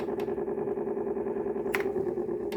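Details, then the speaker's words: Teac A-3440 reel-to-reel motor: buzzy hum with fast rough flutter and clicks when machine tilts forward, stops upright; something loose rubbing inside, possibly a bearing, unconfirmed. "So it's like there's something loose in there, and it's rubbing on the body of the machine."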